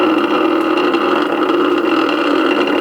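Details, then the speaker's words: Ceiling fan motor powered but not running: a steady electrical buzz with no spin-up. In certain rotor positions it only buzzes, a stalled motor; cause not confirmed. "it is just buzzing it's not really doing anything he's trying to turn trying to rotate but mostly it's just buzzing"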